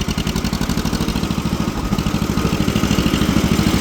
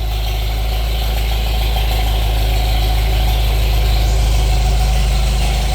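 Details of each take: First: Old two-cylinder tractor parked for years, driving in third gear: uneven, lumpy beat with unsteady firing pulses; running funky, carburetor needs cleaning. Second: Old tractor parked for years (Farmall Super MTA or John Deere MI) idling after restart with air cleaner reattached: steady, even low rumble about three beats per second, no knocks or misses; idles nice, good oil pressure, slightly warm.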